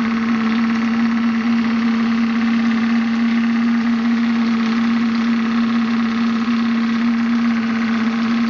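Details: Maxitrak Graupner 5000 gas-fired steam engine with separator and condenser driving a pond water pump, running just before gas is shut off; fast even hum at steady pitch with light steady hiss, no knocks or misses, normal running.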